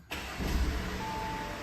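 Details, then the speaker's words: Audi TFSI engine after auxiliary belt tensioner replacement, original low-mileage belt kept: catches and settles into an even idle with no belt squeal; the earlier squeak is gone and the accessory belt drive sounds quiet and healthy. "oh yeah my ears aren't bleeding got that noise so this is all good let's just make sure it's running as it should"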